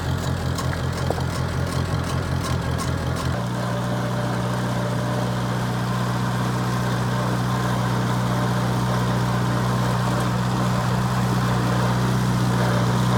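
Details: 1949 Farmall Cub: a low, steady chugging idle that settles after a few seconds into an even, smooth drone. Normal idle.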